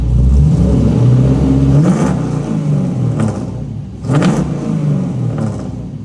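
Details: Trans Am V8 first running after rebuild and refresh begun October 2022: deep, even idle with two sharp throttle blips that climb cleanly and fall back, no knocks or misses; healthy.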